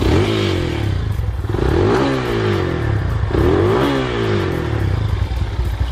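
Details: Yamaha SZ single-cylinder after disabling air-injection system (EIS) intake and exhaust to cure backfire: revs up and settles back several times, pulling cleanly, no pops or bangs from exhaust; sounds healthy.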